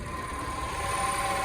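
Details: Peugeot 308 1.6 VTi 120 hp EP6 engine at 87,000 km, idle after head repair: thin steady whistle around 1 kHz returns when water pump belt refitted; worn water pump, replaced.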